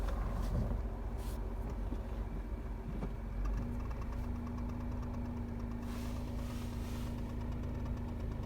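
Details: New 2023 Renault Kwid, under 6 months old: engine idling with a low rumble, then a steady whine comes in and holds; clutch noise, cause not yet clear.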